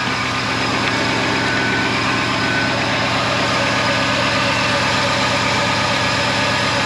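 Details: Old Ford F-150 just started after 45 tries at about minus 25 to minus 40, with the block heater plugged in: steady, rough-edged idle with a constant low rumble, no knock or stumble; normal cold idle.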